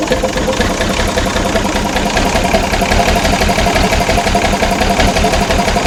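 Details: Ex-army International ACCO 6x6 with a Perkins 6354 diesel, running after bleeding air from the fuel lines: steady, even idle clatter at about three beats a second with no misses or knocks. Normal idle.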